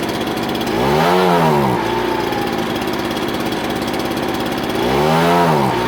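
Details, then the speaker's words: Ryobi BP42 backpack blower two-stroke after hard-start and air-leak fix, carb previously misadjusted to compensate: idles, then blips twice to a rising strained howl that bogs before settling; bog on acceleration while low-speed jet is being adjusted. "i'm working the low speed jet right now to try to get it so when i add the high speed for the pickup that's why it's bogging so too much"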